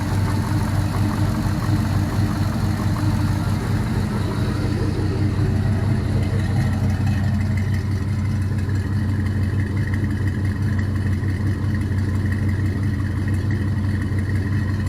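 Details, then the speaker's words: All-aluminum 5.3L L33 HO Gen 3 LS V8 on a test stand, cold and in open loop, idling at about 700 rpm, charging at 13.4 V: smooth, even low burble with no ticking, knocking or smoke; normal idle. "sounds real good even in a cold start there's no smoke uh seems to be running pretty rude pretty well"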